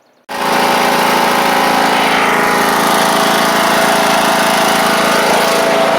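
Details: John Deere E100 lawn tractor after engine swap (original 2018 Briggs & Stratton failed): catches sharply and settles into a smooth, even, high-pitched run with no knocks or surging; healthy.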